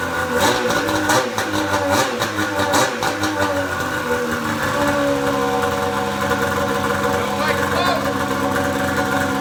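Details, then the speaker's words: Pro XR 800 two-stroke sled, off the stand, after replacing a torched head gasket that caused coolant burning: crisp revs then smooth, even running with no misfire or stumble; no white smoke now versus the earlier smoke cloud. "oh i'm not seeing any white smoke at first i still smelled a little bit but that went away that's a pretty damn good improvement over that smoke cloud we were seeing earlier today"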